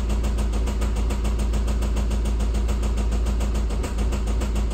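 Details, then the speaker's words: 2016 Mini R60 Countryman Cooper D, BMW N47N 2.0 diesel: hard rapid clatter over heavy low idle, keeping engine pace; knock at idle. Injector 1 delivery out of tolerance; tester suggests broken injector 1 mount, compression or EGR problem, unconfirmed. "il y a pas de défauts qui réapparaissent dans ce cas-là il y a toujours le claquement bien sûr hors caméra"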